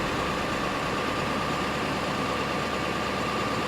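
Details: Late 1999 Ford F-350 7.3 Powerstroke diesel idling near 1100 rpm after engine wiring harness replacement, cold weather, intake air 20 degrees, zero boost, battery charging; steady even clatter with faint constant whine, no misses or surges: normal healthy idle.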